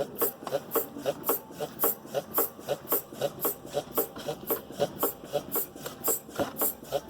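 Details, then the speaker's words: 2011 Hyundai i30 2.0 suspension noise: sharp, regular clicking knocks about twice a second as the stationary car is rocked by hand, engine off; traced to the worn stabilizer link. "Olha o barulho que a bieleta tá fazendo aí, ó. Balança, Everton. Tá ouvindo, pessoal? Esse barulho tá dando ressonância aqui, ó, aqui na bieleta."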